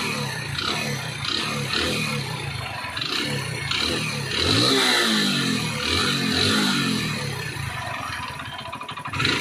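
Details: Hero Splendor Plus at 32,314 km: rough metallic clatter, three to four knocks a second, harsher as revs rise; worn piston and rings slapping.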